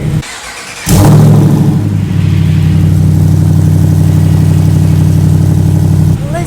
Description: We finally get to start up the SRT 6.4L Hemi for the very first time! Cannot express how excited we are for this motor swap on our Jeep Wrangler JLU Rubicon! Just listen to it ROAR!